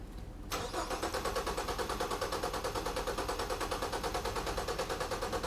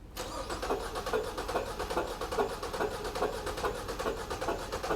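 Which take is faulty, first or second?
second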